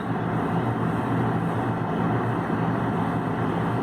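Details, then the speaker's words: Dehumidifier compressor on a single-pole breaker, drawing 35 amps with supply dipping from 124 to 121 volts: heavy, steady low hum with a rough buzz and no spin-up; compressor locked, straining to start. "123 and goes down to 121 so the bues does drop for a second lasts for a couple seconds and comes back out so we're having an issue with the compressor"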